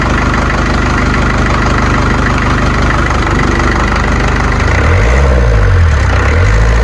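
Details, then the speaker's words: Series 2 Land Rover diesel, first start in three years after a new starter motor, battery weak; clattering evenly at idle with the usual rattle and knock, steady rhythm, no misses; healthy running. "For those of you who don't know anything about diesels, that rattle and knock, that is exactly what it should sound like. They all sound the same, these diesel 204s."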